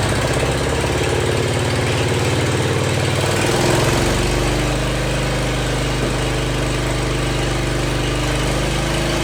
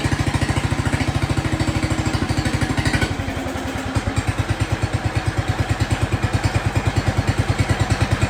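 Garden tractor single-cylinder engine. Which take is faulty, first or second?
first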